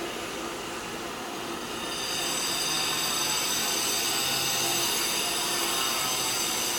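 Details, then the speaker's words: Swimming pool filter pump running normally after the cartridge filter is serviced and switched back on in service or auto mode; steady even hiss and rushing water, no knocks or squeals. "put it on auto on service the filter pump and you're gonna hear it like this about clicking water"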